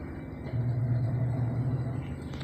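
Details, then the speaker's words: Top-load automatic washing machine, after repair of a spin problem, spin running; very quiet, low steady hum, smooth even drone, no knocking or scraping; normal spin cycle. "Tahimik na tahimik yan, sir. Maandar na ang kanyang spin."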